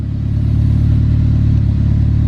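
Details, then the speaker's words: Rebuilt turbo Mitsubishi Eclipse with 400 miles since the rebuild, on a 16°F day, just after a TPS reset, idling about 1,000 rpm. Throbbing idle with occasional spitting stumbles at that low idle; a big vacuum leak was suspected earlier. "Idling at about 1,000. She's still spitting a little bit at this low of idle. Every now and then it kind of just boop."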